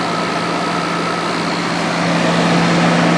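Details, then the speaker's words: Coleman roof-top AC unit on 2014 Itasca Impulse RV, after replacing fan motor with bad bearing: steady even motor hum with strong rushing air, no rattle or scrape; fan now quiet and running normally. "Here we go. Oh, it's quiet. Oh, that's fantastic."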